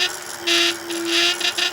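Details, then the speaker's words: Euphree City Robin X+ e-bike riding: steady motor hum with bright metallic buzzing from the rear frame (cafe) lock whose loose internal tolerances vibrate; holding the lock stops the noise. "you hear that vibration noise if I hold my finger on this lock right here the noise goes away so it's just something in here vibrating"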